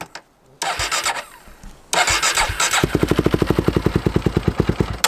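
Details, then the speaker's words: 2005 Polaris Predator 500 sport quad, cold-blooded and run two hours earlier, new exhaust: a few cranking bursts, then it catches on choke into an even thumping single-cylinder idle about five beats a second; idle expected to improve once warm. "Might have to give it a little gas. Once it warms up, it'll idle better."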